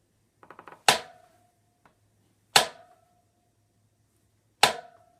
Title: Clunk sound from Fatbike